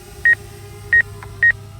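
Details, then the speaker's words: Hubsan Zino Mini Pro drone in normal mode near an obstacle: short high double beeps about every 0.6 seconds as the proximity warning, but the drone isn't stopping. "let's go back into normal mode and you can hear it beeping but but it isn't stopping"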